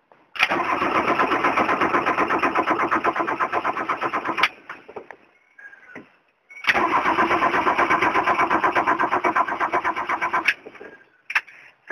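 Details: Diesel engine with glow plugs, out of fuel or long sitting, injector lines cracked open for priming: two long cranking bursts with steady even turnover, never catching, purging air from the lines.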